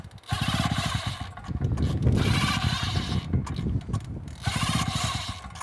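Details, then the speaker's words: Mark III fire pump engine, warm from just running, pulled with choke on: repeated pull-start bursts, short chugs that catch briefly and die; flooded from choking a warm engine. "No, dude, it was just running. It's warm already. We don't need to choke it now. So, but I think we flooded it at this point, so we need to correct it."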